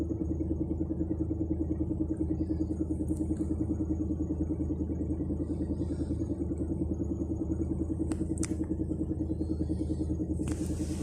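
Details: UAZ Bukhanka van idling with a rhythmic knock, about three a second, swelling from quiet to loud; knock comes and goes, seems to come from somewhere underneath with the hood open; cause unknown.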